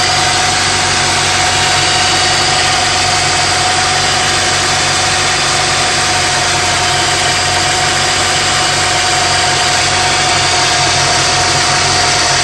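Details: 2002–2005 EP3 Honda Civic Si hatchback at idle: steady thin whine with faint rough hiss over the engine from a bad water pump pulley.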